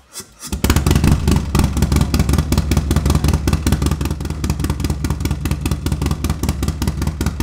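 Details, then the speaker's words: Harley-Davidson Milwaukee Eight with new S&S MK 136 crate engine and 550 cam, first start-up: catches quickly, strong even lumpy V-twin beat, loud exhaust; sounds healthy, probably needs a little fine tuning. "it seems to run good probably needs a little fine tuning uh but it sounds healthy sounds like going to make some power"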